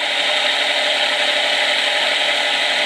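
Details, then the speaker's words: Micro hydro turbine running on the small jet wide open, larger jet about quarter open; steady even water hiss and whirr, no knocks or grinding, turning slowly but smoothly; normal running at low speed. "not too bad i mean it's not spinning very fast at all"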